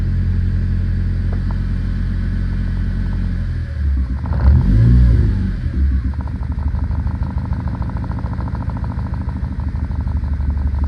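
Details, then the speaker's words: 1997 JDM Honda Accord wagon, hard to start and smoking from the exhaust. Deep idle with a brief rev and an uneven, stumbling beat about four times a second: engine misfire. Scanner flags the engine coolant sensor as bad although it was already replaced. "But she's missing, and it's telling me my engine coolant sensor, which I've changed already, is bad."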